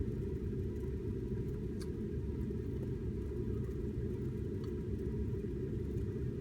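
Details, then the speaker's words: Ling LS-100 shaker, running with its cover off during a final acceptance test: a random vibration profile gives a steady low rumbling roar with no knocks, rattles or surges. The controller shows it within its spec and grms range, so it is running normally. "nicely and the profile is is in profile in its spec range in its grms range that's that's in the spec"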